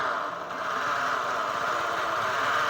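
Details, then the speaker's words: Honda New CB150R, kick-started as electric start fails: loud rough grinding drone with scraping rub, flywheel magnet not centered/straight, likely crankshaft bent after hitting the welded balancer. "ya ini teman-teman ya suaranya seperti ada yang apa ya sebutannya seperti ada yang menggesek suaranya"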